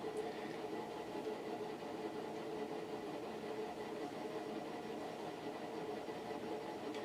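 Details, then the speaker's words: Fasco World's Fair ceiling fan, new-old-stock motor, running near top speed on its Vari-Low control: steady low rumbling whirr with a rough, train-like chug under the motor hum from stiff, noisy bearings. "yeah the sound of the bearings on this one almost sounds like a train chugging along the tracks"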